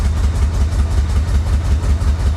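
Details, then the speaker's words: Flood-damaged Corvette restarted with the fuel pump re-submerged in the tank, pedal to the floor: low, lumpy note pulsing about five times a second with an uneven beat; running rough and smoking heavily. "I've got the pedal to the floor this is the best it's done so far obviously it's it's not very happy but it's running"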